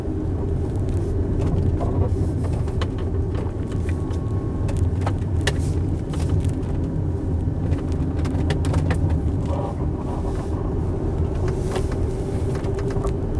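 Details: 2016 Tesla Model X on a winding road, heard from the cabin: scattered sharp ticks and creaks come and go over steady road rumble on bumps and turns; interior squeaks and rattles from loose trim.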